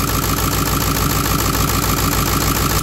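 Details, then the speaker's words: Ford 7.3 Power Stroke diesel in a wrecked Excursion, started by bypassing the starter circuit: even idle clatter about three and a half beats a second, no knocks or stumbles; no smoke, no blow-by, only slight vapor; healthy idle. "you take this guy and touch it to positive no smoke fires right up no blow by which is a big big deal for me little Vapor but no blowby really at"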